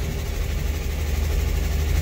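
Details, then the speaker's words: 1964 Chevrolet Corvair, after cylinder head reinstall with new rings: loud raspy lawnmower-like idle with strong low thrum and sharp exhaust pulses; owner suspects exhaust leak. "That thing is loud as hell. I must have an exhaust leak or something. Jeez. Sounds like a lawnmower."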